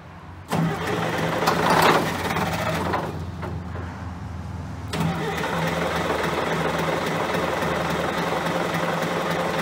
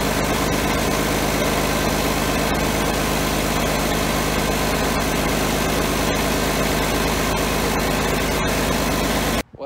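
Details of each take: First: John Deere 770A motor grader diesel, sat five or six years, injector lines loosened to bleed air: starter turns engine at steady chug about 3.5 turns a second without catching; no start from air in fuel lines. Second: John Deere 770A motor grader diesel, sat five or six years, running after fuel-delivery lever fix: steady even clatter at constant speed, no misses or stumbles, no smoke, strong sound; normal diesel running.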